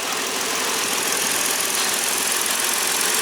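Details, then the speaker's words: 2013 Ford Taurus after water pump replacement and powertrain reinstall, first start with primed new oil filter: quiet, smooth, even idle hum with no ticks, knocks or rattles; normal idle. "Starts right up. Oh, see if I can get back out of here. Running good, running smooth, no abnormal noises."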